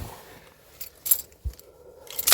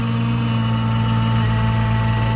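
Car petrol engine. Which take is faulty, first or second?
second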